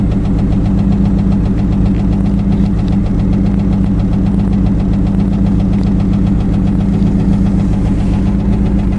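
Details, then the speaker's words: Chevrolet Cavalier idling right after a used junkyard starter was fitted: it runs fine apart from a quick, even tick from the front of the engine over a low rumble; the owner blames the hydraulic lifters and plans to replace them, and the muffler also needs fixing. "seems to be running fine it's just the uh the ticking in the front and I'm going to replace those those uh lifters"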